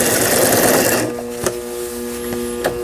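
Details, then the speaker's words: Brother Libero sewing machine, about 25 years old, after burnt motor replaced: a second of fast, even stitching clatter, then quiet steady motor hum with light needle taps; normal sewing, functions including reverse working. "각종 기능들 모두 잘 되네요. 후진 버튼 눌렀을 때 후진이 정상적으로 작동되면 수리가 잘 된 겁니다."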